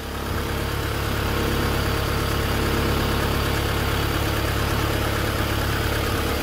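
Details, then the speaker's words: Long-dormant Honda Civic hatchback engine at its first start after 10 years, run briefly with no coolant: steady low rumbling idle with an even beat, really quiet, no knocking or grinding heard. "i don't hear any grinding i don't hear any um you know no knocking it's really quiet"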